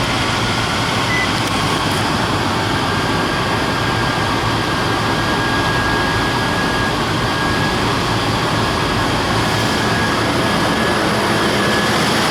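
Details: 1999-04 Nissan Xterra 3.3L V6 first start after timing belt and water pump replacement, cooling system not yet bled: loud, steady even drone with no knocks or misses; starts and idles normally.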